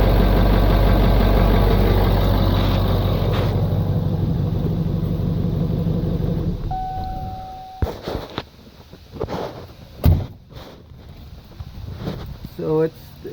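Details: 1996 Ford F-250 7.3 Powerstroke diesel that was pulling air through the fuel lines. Steady low idle clatter for six seconds, then it fades into handling clunks; engine running normally.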